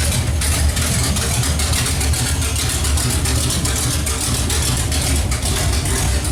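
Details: Pontiac 455 V8 just installed, running with no exhaust fitted. Loud open-header idle with sharp, even pulses at a steady rate and no misses or knocks. Normal idle.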